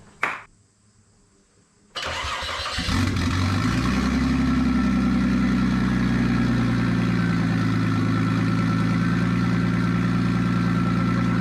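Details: Nissan Stagea RB25DET first start after a new turbo install with braided oil and water lines, airflow meter unplugged and no dump pipe: a brief crank, instant catch and a loud, steady, even idle with no misses or knocks.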